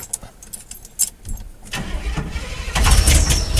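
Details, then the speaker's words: 1979 Chevrolet half-ton, carburetor, start attempts on a 47-degree day: starter cranks with lumpy, irregular beats before catching roughly; owner suspects a timing issue causing uneven rotation; fuel leak at carb also found. "you can tell it's got a timing issue which is why it doesn't rotate evenly"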